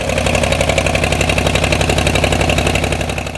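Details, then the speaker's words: 1972 Ford 4500 three-cylinder diesel tractor, started after sitting a while and bleeding air from the injection lines: even, steady diesel clatter about four pulses a second, no misses, then winding down; running cleanly. "always good to hear them run"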